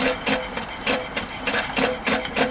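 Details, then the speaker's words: Allchin 2-inch scale live-steam traction engine model: crosshead pump ball valves clicking in quick pairs, about 3–4 per second, louder as the bypass closes and all water goes into the boiler; normal operation. "just adjust the bypass on the cross head pump so at the moment it's open as you close it it'll get progressively noisier as you hear the ball valves working now it's pumping all water into the boiler"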